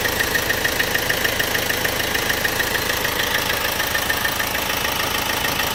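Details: Opel/Vauxhall 1.6 CDTi diesel at idle: sharp, very regular tick about three times a second over steady idle; engine ticking at idle.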